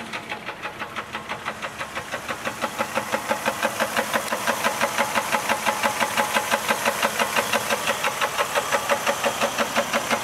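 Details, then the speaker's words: 1999 Jeep Grand Cherokee WJ 4.0L six, 210,000 miles: sharp regular knock about three per second over idle; engine later seized, piston thrown through block side; knocking before seizure. "it's making a ticking noise and you can see it only has low mileage only has 210 thousand i don't know if you can hear this tick on the camera"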